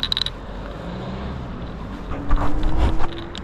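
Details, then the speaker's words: Angwatt CS1 electric scooter riding: light clicking and creaking over a low ride rumble and faint motor whine. A loose rear bracket keeps rattling despite a small pad behind it; the planned fix is an O-ring on its pin. "oui c'est tout ce machin il arrête pas de faire du bruit alors ils ont mis un petit tampon derrière pour pas qu'il tape mais en fait il fait du bruit sur son"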